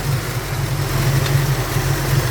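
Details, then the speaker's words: Ford Falcon 302 small-block V8 at idle; loudness swells and sags unevenly, erratic, suspected running too rich; rough idle. "engine started quite erratic which means that it's probably running a little bit too rich"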